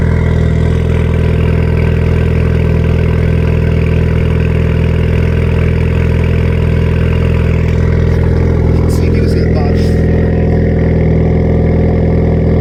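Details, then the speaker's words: 2016 Ford Fiesta ST salvage rebuild, 47,000 miles, cold start: loud, deep, steady unmuffled drone at fast cold idle, otherwise smooth; straight-piped exhaust on cold start. "47 000 miles can't run outside so you can hear it on a cold start"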